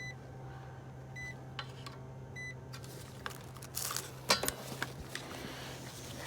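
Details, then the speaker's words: Heat pump not working, outdoor unit with 240 V present and fuses good: steady low electrical buzz with a few sharp clicks as the contactor pulls in; contactor hum from burnt contacts, contactor replaced. "yeah so it sounds like we got a bad contact there so huh the contactor yeah yeah i got one on the truck so let's see here it looks kind of burnt there right"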